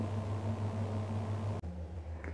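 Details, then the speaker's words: Walk-in freezer in defrost mode, compressor and evaporator off: low steady hum with faint ticking as the electric drain-pipe heater melts ice in the drain line into water; normal defrost heater operation. "ये टिक टिक की आवाज़ आ रही है, हमारा electrical heater चल रहा है जो इस आइस को मेल्ट कर रहा है, वाटर में कन्वर्ट कर रहा है।"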